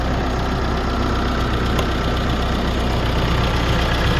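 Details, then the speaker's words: 2016 GMC Canyon 2.8L diesel, high mileage, first start after timing belt, water pump and tensioner replacement; steady low diesel clatter at an even idle, no ticking, slapping or squeal. Normal idle. "no weird noises that's good"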